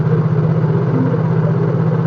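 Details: Yamaha Mio J scooter with a weak-starter complaint, after recharging the battery. A steady, even low putter with no misses, knocks or rattles; normal idle. On the restart, voltage dipped only slightly to 11.9 V, so the battery is judged usable.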